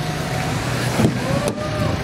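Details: Mitsubishi Montero 4N15 diesel after no-start repair: steady, even idle with smooth low rumble and no misses, knocks or hunting; engine running normally.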